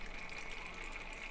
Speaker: okay hear the bubbly noise kind of going away and now it's decently quiet